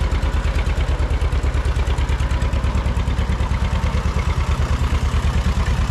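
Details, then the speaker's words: Barn-find John Deere 630 tractor, just started on first try at about half throttle with a little choke, good oil pressure. Even, heavy idle chuff with a crisp tick on each exhaust pulse; exhaust manifold leak suspected. "Sounds like we got a little bit of a ticking noise, too. Could be a manifold leak. That's kind of what it sounds like."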